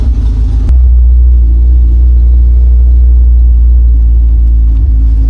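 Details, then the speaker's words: Classic Honda Civic EG with a cracked header weld (shifter also broken): loud, deep, raw-sounding exhaust rumble at the manifold, much louder than before; all exhaust gas escapes at the break with a strong smell; exhaust leak. "Kasi maririnig niyo iba yung tunog talaga niya ngayon, ang lakas. Tapos lahat ng exhaust gas nalabas dito."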